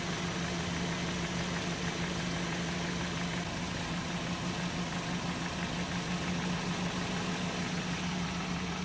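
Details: Mercedes 190E 2.0 natural gas conversion running on gas. Loud idle with lumpy, uneven beat and droning hum underneath, dying and then accelerating; rough idle.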